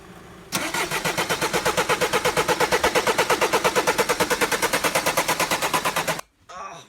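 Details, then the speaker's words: Mercedes Sprinter van: steady even cranking around three beats a second for over five seconds, never catches; crank-no-start common fault, explained as something under the passenger's feet in the footwell on the left. "you've just gotten you Mercedes Sprinter van turn the key is swinging over but it won't stop"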